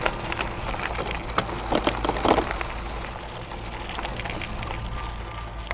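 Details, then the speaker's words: 2014 iGo Urban e-bike with a 250 W mid-drive motor, riding in high assist over bumps: the removable plastic battery housing locked to the frame knocks and clatters over motor and road noise. Battery housing rattle. "can hear the battery banging around a little bit like I was mentioning before not too bad"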